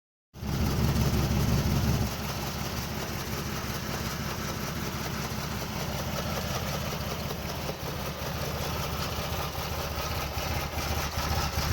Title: 1994 Fj80 rough idle